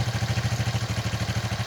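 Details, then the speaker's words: Bajaj CT-100 rebuilt engine just installed, 1 litre fresh oil, tank not fitted, tappets set slightly loose after valve grinding, to readjust after 1000 km: even single-cylinder idle thump, no crank knock or timing-chain rattle; normal idle. "तो ये बहुत ही easily start हो गया। तो पहले से बहुत ही smooth sound है इसका।"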